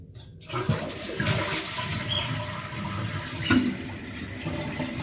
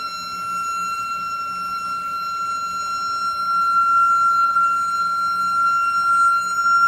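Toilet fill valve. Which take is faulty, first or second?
second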